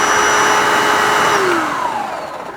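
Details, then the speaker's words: Hoover SD101 cordless vacuum that wouldn't turn on, after repacking the battery with fresh cells: high steady motor whine holding its pitch, then winding down smoothly when switched off; normal motor run. "It works. It's actually not that loud as well, so I'll plug the charger in."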